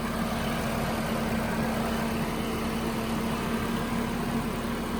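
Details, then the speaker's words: 1992 Nissan 240SX S13 engine fired right up; smooth, even idle with a steady hum and no ticking or misfire, sounds normal, though the owner suspects a leak and possibly bad fuel injectors. "Okay, fired right up. So far, so good."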